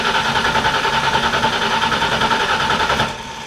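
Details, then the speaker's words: Ford Foxbody Mustang daily, neutral safety switch bypassed: starter cranks about three and a half beats per second for three seconds, never fires; crank no-start, zero ignition shown, ignition fault suspected over fuel pressure. "you can see we have zero ignition for some weird reason so i'm gonna tackle that today"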